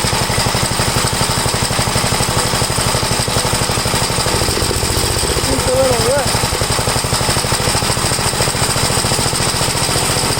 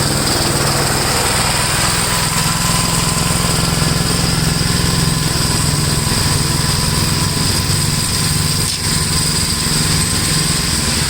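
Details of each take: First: 1962 Gravely LI garden tractor, warmed up after valve adjustment, compression 45 psi. Rapid single-cylinder popping, slightly uneven in beat, before the carburetor high-side mixture adjustment. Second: 1962 Gravely LI walk-behind tractor, single-cylinder, mowing a field after valve adjustment and carburetor tuning: steady chug at constant speed under load, no misses or knocks; runs acceptably.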